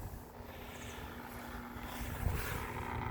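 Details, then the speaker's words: Bestway Flowclear pool filter pump on a Steel Pro above-ground pool, running after being disassembled and cleaned to cure a grinding noise: steady low hum, constant tone, no grinding or scraping, normal and not perfectly silent. "See, if you can hear that it's supposed to just sound like this. It's not gonna ever be perfectly silent, but this is pretty good."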